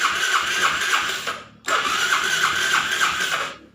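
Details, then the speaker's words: Yamaha Jupiter Z, electric start: two long cranks, steady starter whir pulsing about three times a second, no catch. It starts on the kickstarter; starter and battery normal; ignition drops out while using the electric starter. "ini motor di engkol tetap hidup tapi kalau di stater nggak mau hidup padahal starter normal aki pun normal"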